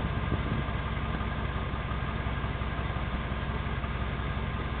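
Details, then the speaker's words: 1994 Jeep Grand Cherokee, 318 V8, with the tailpipe broken off and almost none left: deep, loud, blatting, barely muffled rumble with an even beat at about 1600 rpm; loud exhaust from broken tailpipe, repair planned. "Well, that's what a Jeep sounds like with virtually no tailpipe on it. It broke off."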